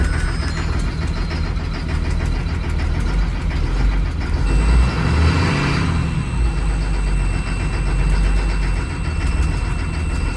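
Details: 2004 Blue Bird Vision bus, 7.2L Caterpillar C7 210 HP diesel, cold start at 23°F after jump start: deep steady rumble settling into an even idle, no misses or knocks; normal cold idle.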